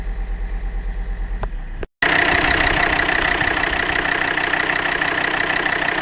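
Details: Volvo D5 diesel idling cold: steady, fairly even knock of about three per second over rough running; a cold-engine knock that no service shop has been able to identify.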